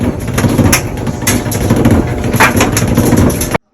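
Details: Maytag Bravo dryer running: loud, rough rumbling and vibration with crunching surges about twice a second as the drum turns; debris or foreign objects are caught in the drum.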